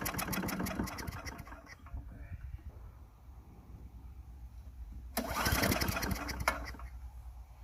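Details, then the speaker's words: Craftsman Eager 1 4hp chipper vac (987.799790) on fresh gas after priming: it fires, runs roughly for under two seconds, dies, then catches briefly again and keeps stalling. Owner thinks it only needs cleaning, possibly the carburetor. "Prime it some more. See, because it's stalling."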